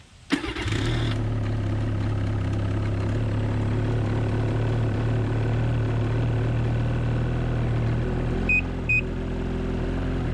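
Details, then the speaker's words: New 2019 Ski-Doo MXZ Blizzard 600R E-TEC two-stroke snowmobile, first start after a year crated, likely old gas, about five minutes' running since purchase and about the same at the dealer, GoPro built-in mic; catches quickly and settles into a quiet, even idle the owner calls rough. "I've had it run in the boat since I bought it I probably had it running for about five minutes and about the same at the dealer nice quiet rough idle"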